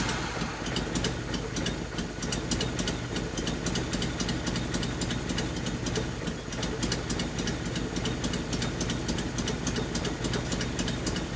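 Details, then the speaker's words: 1981 Nissan 280ZX straight-six, five-speed, sat about 15 years: uneven, stumbling idle with a lopsided beat and irregular pops. The cylinder misfires because the rear fuel injector isn't firing. "nope yep yep so this injector back here is not firing"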